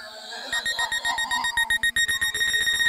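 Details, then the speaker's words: SJRC F22S2 Pro Plus drone after take-off with obstacle avoidance enabled: quick evenly repeated high-pitched beeps, about four a second, over rotor hum, warning that an obstacle is detected ahead and forward flight is blocked. "Jadi ketika dia mendeteksi ada rintangan di depannya, dia tidak akan maju dan ada suara bunyi bip panjang seperti ini, dia tidak bisa maju."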